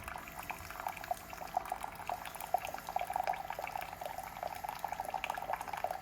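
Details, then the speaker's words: Keurig K-Mini single-serve coffee maker heating, light pulsing: irregular gurgling and bubbling of boiling water with a thin trickle of pouring liquid, nothing harsh or grinding; brewing normally. "And okay, I can hear it boiling."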